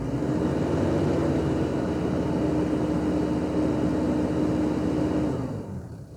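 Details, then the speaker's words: 1993 Toyota Hilux Surf JDM import, 3-litre four-cylinder diesel automatic, at idle from the cabin: a steady loud whooshing roar with a faint hum over a rough, vibey idle, mostly the cooling fan running flat out; cause not confirmed. "Now, a bit rough and ready and vibraty, but mostly what you can hear is cooling fan."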